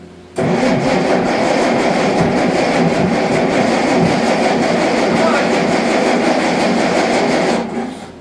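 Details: Allis-Chalmers D19 tractor that sat about 20 years, with its cleaned carburetor reinstalled: rough, uneven run for several seconds, then sags and dies, won't keep running; cause suspected, not confirmed.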